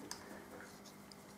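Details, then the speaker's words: New replacement motorcycle wheel bearing spun by hand runs almost silently, only faint ticks and room hum, with no grinding. "listen to that one silence lovely silence is golden"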